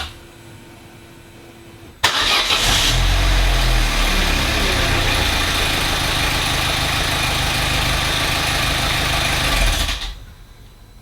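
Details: Vauxhall Corsa hot petrol engine at operating temperature cranks briefly, catches at once and settles into a steady, even idle, after fixing throttle body clicking and non-start, likely from damp in the electric throttle pedal due to cabin water ingress.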